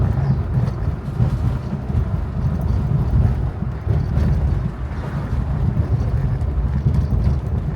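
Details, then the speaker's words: 2007 Hyundai Santa Fe 2 after fixing its rattling front brake pads, driven deliberately over potholes: steady low road rumble with no metallic ringing from the front brakes, only a slight rattle perhaps from the glovebox. "того дурного дзвону нема. Спеціально їду ось по ямам. Дорога у нас така і нема дзвону."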